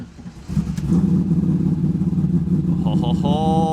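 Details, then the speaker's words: Modified manual Trans Am WS6 with 48,000 miles, cold start: fires at once and settles into a smooth, steady idle with no slap or lifter tick. Good oil pressure and healthy throttle response. "Fired right up. Good oil pressure."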